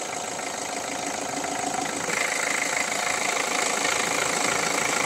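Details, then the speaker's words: 1.5 dCi diesel at steady idle: fast, regular sharp ticking about three per second, sounding like a knock inside the engine but actually compression blowing past the injector seat, which goes quiet when water is poured on; injector seat compression leak. "الصوت هذايا هو تنفيذ في الانجكتور يعمل تنفيس هذ ماشي كانه كانه حاجه تضرب في المحرك الداخل هي لا هو تنفيذ"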